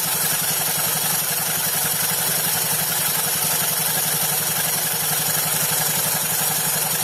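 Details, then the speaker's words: Honda Beat FI Eco scooter, CVT cover open, engine idling; steady rough rasp with fast uneven pulsing from the V-belt, belt still good but its edges uneven; fixed by lightly sanding the belt edges until the noise goes. "Jadi suaranya itu kasar ya, seperti ini. Tapi untuk suara kasar seperti ini kayaknya ini dari pendel ya. Biasanya pendelnya itu kasar ya, tidak rata untuk bagian pinggirannya itu."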